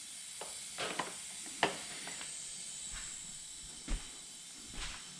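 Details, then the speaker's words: Husqvarna FS450 that died on the track, leakdown test showing moderate leakage: a steady, thin air hiss under handling clicks, with air leaking past the exhaust valves and not past the rings. "okay moderate definitely not good okay i can hear that straight away yep we have leaky exhaust valves"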